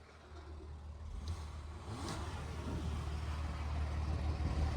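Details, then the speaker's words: Flood-damaged 27,000-mile one-owner Cadillac SRX, revved after checking for water in the exhaust (none came out): the engine note climbs smoothly and evenly with no misses, knocks or rattles; only typical carbon on the exhaust tips, running smooth. "that's just your typical Carbon on the uh the exhaust tips it's running smooth as silk"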